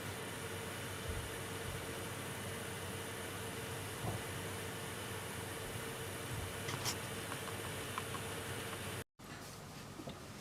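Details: MSI R7950 Twin Frozr graphics card at stock settings (880 MHz core, 1250 MHz memory) under 99% load, fans at 48% (2163 RPM): soft, steady airy hiss with a faint constant hum and no ticking or grinding, normal fan noise.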